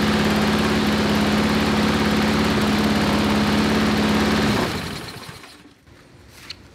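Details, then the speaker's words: Briggs & Stratton 5-6 hp flathead lawnmower engine measured at 2160 rpm with a tachometer before adjusting the governor lever: steady, even low-pitched single-cylinder hum, then shut down; engine running below proper governed speed. "so it was 2160 i just wanted to show you that and now we're going to twist that thing forward"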